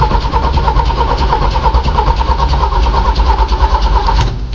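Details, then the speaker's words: Jeep after HVAC control unit replacement: steady cranking churn at about three beats a second that never catches into a run; she wants to start but won't, cranks without starting. "You know, she wants to start. She does."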